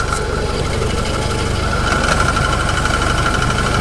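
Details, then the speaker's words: Jeep idling with the engine cover off: quick even ticking about three per second over steady idle, no irregular knocks; normal valvetrain chatter heard because the cover is open, never caused problems. "It's a bit rattly at the minute. You don't hear it when that cover's all on. That's just normal, that's just because it's open. It's never caused me any problems."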